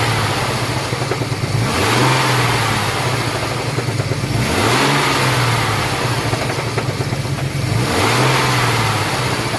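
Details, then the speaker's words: Ford EL Falcon 4.0L SOHC: three throttle blips with harsh metallic rattle over exhaust roar; idles poorly when cold, racket appears once warm; catalytic converter collapsed and blocked, being replaced with high-flow cat and headers. "sounds normal when you first started except it idle sucks then when it warms up it makes this God awful racket it's [Music] horrible"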